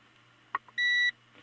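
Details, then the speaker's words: 1890s GE antique fan motor (No 337738), continuity test across head wire through coil and armature: short single beep only as armature turns; intermittent contact at the ruined brush/armature contact assembly. "so the problem is in the brush assembly here where it touches the armature it has to make contact across the armature to create the magnetic field on the armature"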